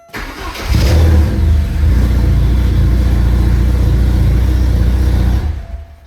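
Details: 1985 Porsche 944 after replacing a failed DME relay that caused a no-start: cranks briefly, catches cleanly and settles into a steady, even low idle with no knocks or stumbles.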